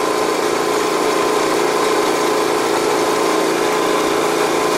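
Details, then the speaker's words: Energizer eZV3200P inverter generator at full RPM, measured from about ten feet: steady, even hum with a faint constant tone, no knocks, misses or surging, around 60 dB as quoted; normal running at full speed. "so let's fire it up and just put it in full full rpm right now"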